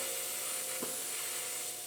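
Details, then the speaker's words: Transfer box pressurised with shop air through a regulator: a steady high hiss continues after the air tap is shut, showing an air leak, later traced with soapy water to the end cover. "tighten it up and instantly we can hear a leak you hear it if we shut the tap"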